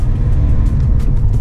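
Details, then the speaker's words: VW Golf V diesel on a test drive after engine and cylinder head rebuild, off the road for months, camshaft adjustment not yet done: deep, even engine drone under way, no knocks, rattles or squeals. Drives normally. "pas de bruit bizarre la voiture roule très bien"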